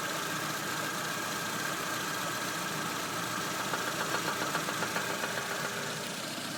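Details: VAZ 2110 1.6 8-valve, 64,629 km, steady idle: light regular ticking knock about 220 a minute; camshaft axial end play, gone after replacement.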